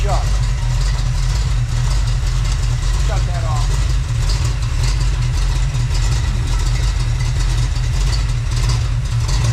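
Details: Freshly built Chevy small-block 350 (roughly 355), on first test run before heat builds; smooth even low idle around 750 rpm, steady with no knocks or ticks, healthy.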